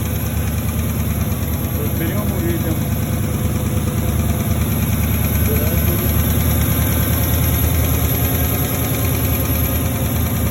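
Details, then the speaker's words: Porsche Cayenne 4.5 V8 at idle: light, uneven tap over a low rumble, an engine knock; owner suspects scoring in the cylinders. "Мне кажется, это все-таки это задиры в цилиндрах."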